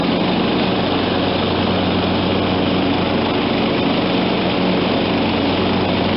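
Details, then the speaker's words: John Deere LT160 automatic lawn tractor, Kohler Command 16 hp, 42-inch deck: steady, even engine drone at constant speed with blades engaged, no misses or knocks; running healthy after carb, fuel and deck work. "so hey i think we got a winner here folks lt 160 automatic 42 inch edge deck in good running condition come from a junkyard dog"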